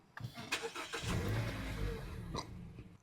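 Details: 2013 or 2014 Mazda CX-5 with a faulty MAF sensor, also showing lean codes, a vacuum leak and a misfire: long uneven cranking catches into a rough, lumpy run that sags and dies within seconds.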